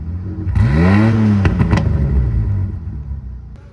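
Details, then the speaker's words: 306 being fitted with a 3-inch exhaust (up from 2-inch), reassembled with air filter left off: engine catches, swells in one quick rev with rising-falling pitch and some rattle, then settles; runs normally. "Alright, but you can tell it's running. Yep. So, we're gonna try to get it running."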